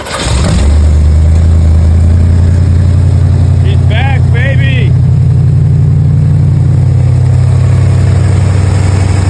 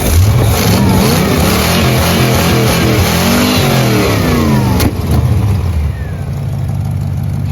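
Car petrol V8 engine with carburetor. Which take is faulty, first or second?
second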